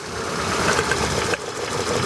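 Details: Idle with an uneven, stumbling beat and occasional knocks over a steady hum, the lumpy rhythm of one cylinder misfiring. Check engine light is on with code P0302 (cylinder 2 misfire); spark plugs are due for replacement.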